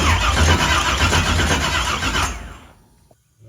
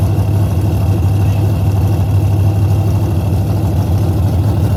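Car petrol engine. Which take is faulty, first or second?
first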